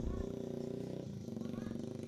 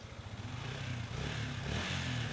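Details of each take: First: Yamaha Vixion that suddenly died and won't start by button or kick: with key on the fuel pump hums steadily with a fast flutter but no fuel flows from the line; failed fuel pump. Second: Yamaha Vixion single-cylinder that would not start by electric or kick start, low compression measured about 35 versus normal 39: now catches and keeps running, even low thrum with light revs blipping and settling; runs fine.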